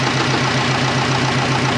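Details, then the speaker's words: Twin-turbo Subaru Forester running again after work: a steady idle with a fast, even pulsing hum over it. That is just the cooler pump running, which is normal. "It's the cooler pump, guys. It's alright."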